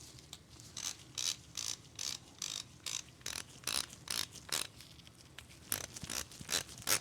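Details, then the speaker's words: Vintage Craftsman 43785 3/8 quick-release ratchet after servicing, held near the microphone: crisp, even bursts of clicks, a couple of sweeps a second, smooth with no skipping or grinding; healthy ratchet. "Wow, that really sounds good"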